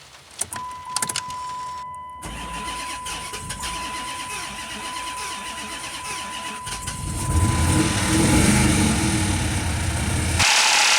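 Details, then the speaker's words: 2005 Dodge Magnum RT Hemi V8, first start after a fuel system fix for low fuel pressure (rotted pump and sending unit). Cranks, catches, settles into an even idle and revs cleanly with no misses: normal running. "that sounds awesome"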